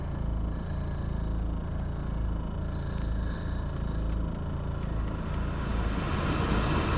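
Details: 2000 BMW E46 320d 136hp diesel with slow start, idling: uneven, lumpy rumble surging and dipping; persists for years despite a new VP44 injection pump, injectors, glow plugs and filters, cause unknown.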